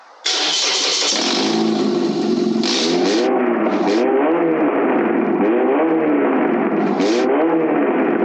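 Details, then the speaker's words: Engine running with the exhaust removed, straight off the manifold: very loud, raw, crackly bark rising and falling with each throttle blip. "I got to exhaust off there's nothing but a manifold up there you know I got it fired up without the man without any exhaust on it just straight manifold yo let's hear what it sounds like"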